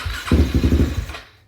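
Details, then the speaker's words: Fuel-injected Suzuki LTR450 quad (believed 2006) that sat a while, running on carb cleaner sprayed into the airbox: it catches for about a second with a few rough pulses, then dies; fuel isn't being delivered, so the fuel pump is next to check. "right life to the old beasts so we need to figure out why we're not getting fuel where it needs to go"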